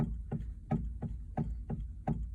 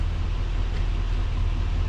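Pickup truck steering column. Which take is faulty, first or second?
first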